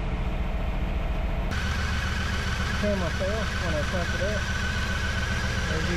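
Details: 1994 Chevy Camaro Z28 5.7L LT1 V8, first start after Optispark distributor replacement and cooling-system bleed: brief crank, then catches and settles to a steady, even idle with no misses or knocks; healthy.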